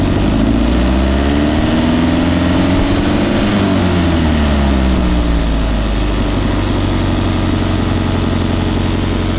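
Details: 1971 Datsun 510 carbureted four with Weber 32/36, after timing was corrected at the distributor adjustment plate to cure rough idle and no-start: steady low, fairly even idle with no misses or knocks.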